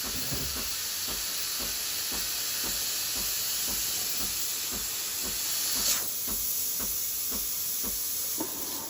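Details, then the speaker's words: Breville Infuser BES840 espresso machine steam wand purging about 15 seconds after switching on: strong steady hiss with pump pulsing about three times a second underneath; full steam pressure, working normally. "And then it gets a little bit stronger over the course of the next 5 seconds. There we go, that's full pressure."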